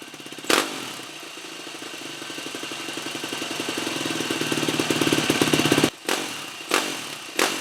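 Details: 2003 Yamaha YZ450F carb-reassembled (previously started only on starting fluid), choke held by zip tie: a few kicks, then single catches and thumps along evenly, building slightly before cutting off; normal start and idle.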